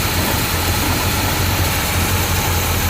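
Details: 1982 GMC Jimmy 4WD, 350 V8: after setting one side's carb idle mixture screw, bottoming it until it acts up then backing out half to one turn, steady low rumble with even pulse, no lean stumble or hunting; idles cleanly.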